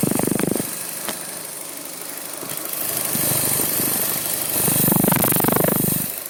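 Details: Fiat Panda 1.2 (60 hp). The idle surges up and down every couple of seconds with an uneven, stumbling beat, an unstable idle with misfires on cylinders 1 and 4.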